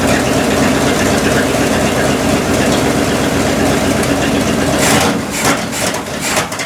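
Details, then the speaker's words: 1972 Cadillac Miller-Meteor hearse V8, first run since 1995 after setting timing, fed 91 octane into the carb bowl; loud, steady, even idle burble settling a little during a 15–20 second run; sounds healthy. "sounds okay to me [ __ ] yeah man you know what this means"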